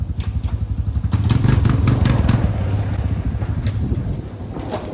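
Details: Suzuki LTZ 250 ATV: single-cylinder thump rises and falls smoothly with throttle blips, no flare or chatter; clutch engaging properly.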